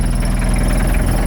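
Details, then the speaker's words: 1984 Ford Econoline diesel van, accelerator held down, heavy uneven low thumping with a clattery diesel knock on each firing pulse; really rough low idle that sounds like it might die but keeps running. "And it is a diesel, so you can hear the knocking. I'm just holding the accelerator down. It's got a really rough low idle, but it idles, it doesn't die."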